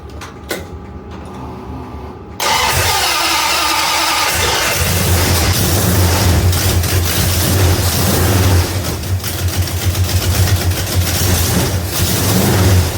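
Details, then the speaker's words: 1971 Dodge Demon, rebuilt 1974 318 V8 with 273 heads, Holley 750; cold start at 30 degrees. Catches and settles into a lumpy high idle with sharp puffing tick on the exhaust pulses; header gasket leak. "This is a cold start, and it is 30 degrees here. And sometimes got a mist and exhaust leak, header leak."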